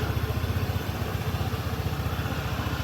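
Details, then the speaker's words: Honda ADV 160 after a rear pulley/CVT service; it was rubbing and noisy after a top-speed run. Now a steady, even low idle with a smooth pulse and no rubbing or scraping from the rear pulley; normal idle. "Okey siap settle. Bunyi pun dah cantik tak ada masalah."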